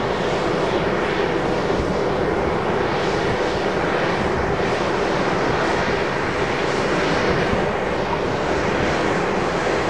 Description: Little Raith Wind Farm (9x410ft Turbines), noise pollution recorded from one of the turbines. All 9 turbines are producing a range of noise, but this particular turbine is noisier than the rest.